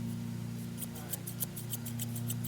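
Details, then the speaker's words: Left-handed Arius Eickert hair shears with an uneven ride line, slightly tight: short dry scraping rasps, about five a second, as blades open and close; rough blade contact. "what i notice it just feels rough let me see if you can i think you can hear it listen"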